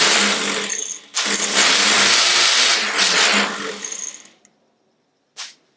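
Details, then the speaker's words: Triumph Herald 13/60 with rebuilt Spitfire-spec engine; starter had been spinning without engaging (clearance suspected). Bench-tested starter spins up quickly with a bright, even whir, so the motor itself is fine. "so the motor's running fine"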